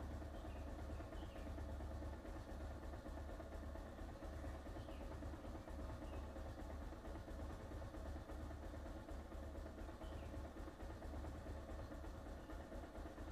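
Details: Bajaj Pulsar 220F BS4 at a slightly raised fast idle during cold-start warm-up, low steady hum without dips or stumbles; owner notes only a slight needle-related problem.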